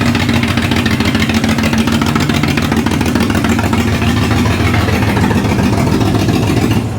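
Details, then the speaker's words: Ford Barra engine in a speedway car converted to a 350 Holley carburetor and distributor, first running; loud uneven lumpy idle about three pulses per second, sounds down a cylinder or two, owner suspects spark plug wires and a needed tune-up. "She sounds like she needs a a massive tuneup. Um, I might check all these, um, spark plug wire. Sounds like she's down a pot or two."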